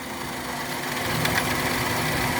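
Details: Maruti engine at idle during misfire diagnosis with injector number one deliberately disconnected: steady idle with a slightly uneven, lumpy beat, no clean rhythm, one cylinder not firing.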